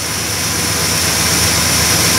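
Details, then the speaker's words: 1969 Plymouth Fury 383 V8 idling after a points-to-ignition-module conversion removing the ballast resistor; the module, not yet on a heat sink, is a little warm. Loud steady idle with strong hiss, smooth, no misses or knocks. "Yeah, it's a little warm. It's not"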